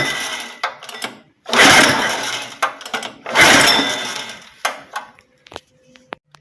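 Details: Honda four-stroke engine on a commercial pressure washer, cold, choke on, throttle set, fuel line open: two recoil pulls turn it over with rough chuffing but it never runs; cranking no-start, cause suspected, not confirmed.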